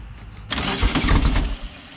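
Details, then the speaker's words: Silver Volkswagen car after correcting spark plug wires to the right firing order: catches after brief crank and settles to steady even idle, no misfire; smoking, oil leaking. "Well, that's a good sign. Look at that."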